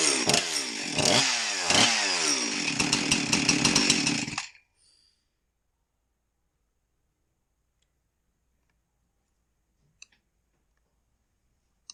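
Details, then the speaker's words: Husqvarna 346XP chainsaw after cylinder base gasket repair sealed an air leak; runs rough about four seconds then dies, idle speed previously turned down by owner now too low, needs raising without changing high/low settings. "I just came to the realization that the customer turned on the idle speed."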